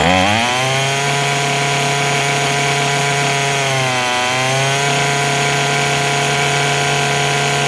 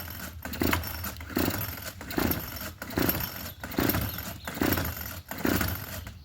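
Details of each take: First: Craftsman 27cc two-stroke string trimmer, made January 2013 and obtained free: it revs up cleanly, dips briefly, then holds a steady, crisp buzzing tone without stumbling; normal running, it sounds pretty good, though it is smoking. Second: Craftsman 27cc two-stroke string trimmer, obtained free, with two-stroke mix poured down the carb throat to verify compression and spark: repeated rope pulls, about one a second, each give a brief rasp with no firing. It cranks but won't start; cause not confirmed, and it fired once the throttle was held.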